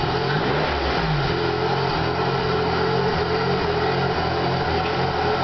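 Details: 2001 Pontiac Grand Prix GTP, recently bought, after stalling on the freeway and jerky hard shifting: wavering, stumbling, surging idle; IAC valve found faulty, tapping it got the car restarted.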